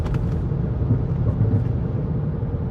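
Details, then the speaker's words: Chrysler 300C driving after refitting the original front hub: only a soft, even low road rumble, no hum, growl or grinding, much quieter than before; remaining noise is a tire scuffed from the loose hub; hub quiet. "much quieter um and then also stairs much better which is great"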